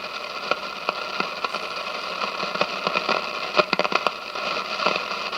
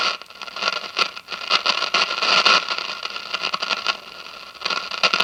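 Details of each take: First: 1957 General Electric model 875 All-American Five tube radio with weak sensitivity; hissing static with sharp crackles and pops, volume coming and going and sagging near the end; silver mica disease in a capacitor, automatic volume control also questioned. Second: 1957 General Electric model 875 All-American Five tube radio after replacing the dual filter capacitor, drawing 23 watts; hiss and crackly static remain but no low mains drone; hum gone.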